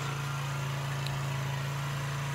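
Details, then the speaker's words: Chinese 50cc Geely two-stroke scooter that sat unused, first run after revival, carburetor suspected of needing removal; steady even low putter with no misses or knocks, idling smoothly, normal. "carburetors gonna have to come off and I can't believe it's kind of idle it's amazing"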